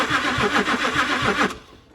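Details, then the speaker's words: Range Rover diesel cranking evenly for about 1.5 seconds with an injector line nut loosened: it does not start, and only a tiny dribble of diesel appears instead of high-pressure flow, with the warning light not flashing. "you can see there's a tiny little bit of diesel it's quite hard to say but you can pretty much just see it there there's a tiny little bit of diesel just leaking out nowhere near what it should be"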